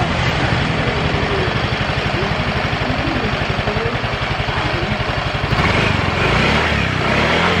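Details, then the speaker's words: Yamaha automatic scooter that ran rough and stalled suddenly, after a parts replacement; even putter at about four beats a second, holding steady without stumbling or dying, previous rustling noise gone; idles cleanly, seems cured. "ori ini kayaknya sudah sembuh"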